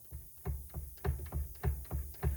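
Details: Jeep Wrangler JK/JKU (2007-2017): about eight dull clunks as the steering wheel is rocked side to side, demonstrated with the centre nut deliberately backed off; knock from a loose steering wheel nut, fixed by re-torquing to spec.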